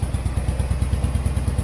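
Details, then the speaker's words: 1970s Turner Ranger tractor, 1098cc A-series Mini engine: lumpy, uneven running with clatter, missing on a cylinder; weak spark from low battery voltage, dirty spark plugs or swapped HT leads suspected. "it was missing a bit but let's try that again"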